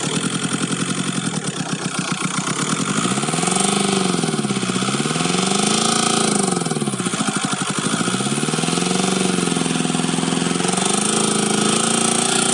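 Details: VW Golf 4 1.9 TDI 115 4Motion diesel at idle: fast even clatter with a droning tone that swoops up and down every couple of seconds; an unusual engine noise, cause unknown.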